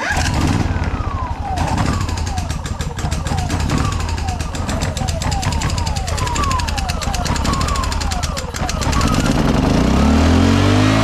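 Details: Petrol generator after carburetor and fuel service: small engine catches, rises and settles into a busy steady run with brief speed swings; starting and running normally, about 231 volts output.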